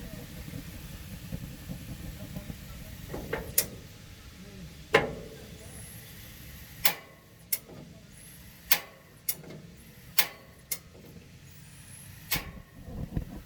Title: 32" Summerset TRL back burner misfire